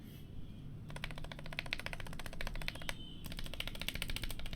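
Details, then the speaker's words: New GMMK Pro keyboard with stock stabilizers, before swap to Durock V2: uneven sharp key clacks with loose, rattly edge on larger keys, keys not going in properly; stabilizer rattle. "that rattle. Wow. It's not even going in properly. That does not sound good at all."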